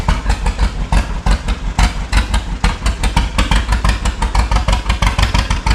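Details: 1936 John Deere Model A two-cylinder, first start after three years with new plugs, sanded points, new cap, choke on, unrebuilt carburetor with suspected sticking float: uneven pop-pop idle about three beats a second with stumbles, needs carburetor adjustment.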